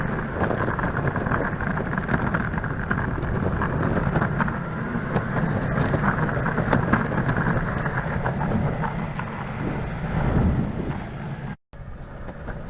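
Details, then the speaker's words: Verreal RS electric skateboard with urethane wheels on rough asphalt and cracks: loud, uneven rumbling clatter like a dump truck; motors stay quiet while the whole deck rattles; smooth asphalt sounds fine. "use of it yeah i'm gonna get one more clip because on smooth asphalt this thing sounds really good over cracks and on rough asphalt this thing sounds like a dump truck going down the road so the motors aren't loud but the entire board is louder than the heck"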